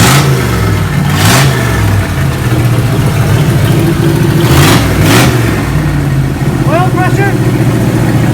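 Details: 1987 Chevrolet Monte Carlo SS V8, started after sitting 20+ years in Arizona sun; low steady idle sitting a bit fast with loud handling bangs over it; engine running and holding normal idle.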